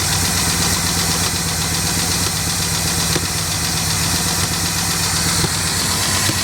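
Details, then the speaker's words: 1967 Lincoln Continental first start after about 29 years sitting, choke on, spitting fuel: fast busy valvetrain clatter over rough idle until oil pressure builds. Valvetrain clatter from low oil pressure at start-up. "we got some clatter build oil pressure baby build oil"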